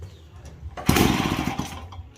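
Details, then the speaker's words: Daelim Trac moped two-stroke engine on first run after inspection, exhaust off, choke use uncertain, oil feed open and suspected air leak: brief, sharp, loud raspy crackle under a second, then dies; earlier finger test showed both push and suck at plug hole. "Well, I guess because the exhaust is off, it sounds a little louder."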